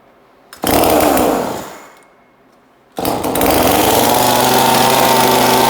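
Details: 2002 Husqvarna 136 chainsaw just fitted with new aftermarket carburetor, fuel line, filter and air filter, untuned: catches, revs and dies, restarts at steady high speed without dropping to idle; idle set too high, needs adjustment.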